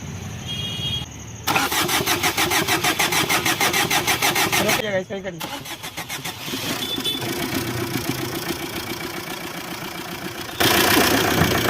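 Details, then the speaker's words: Maruti Suzuki Swift Dzire after engine repair for worn bearings and thrust washers, with fresh oil: brief even cranking, starts on first try, settles into steady smooth idle with no knocking; healthy start. "एक self में गाड़ी start है first self में गाड़ी start जय श्री राम"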